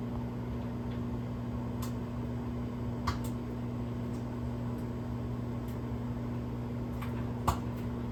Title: Oil Popping Noise And Sound Inside Of The Microwave 4/3/26